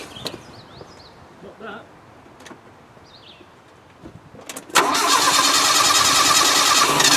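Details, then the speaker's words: Land Rover 90 with old Weber carburettor flooded with petrol, cranked with the floats open to clear it: after a short crank it catches and holds a fast, steady idle. Flooded engine start, now running. "well the chalks working and it's very wet up there so I'm just wondering whether you just needs a damn good cranking through cuz they all petrels in there"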